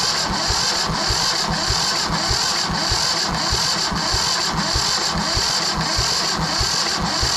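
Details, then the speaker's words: Yanmar 1500 two-wheel-drive tractor that wouldn't start, injector lines loosened to bleed: steady starter cranking with even compression beats that never catch; fuel takes long to come through, low pressure; long cranking no start. "second. That's a long time, not a lot of pressure."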